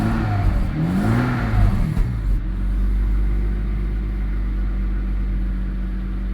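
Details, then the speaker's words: Jaguar XJS straight six (3.6 or 4.0) revved after tapping seized injectors cured its misfire; coolant level unknown, dashboard warning lights on. It climbs and drops cleanly through blips, then settles into a steady, even idle with no knocks; normal revving. "that's running really well all right let's turn it off cuz I don't know if it's got any coolant in it"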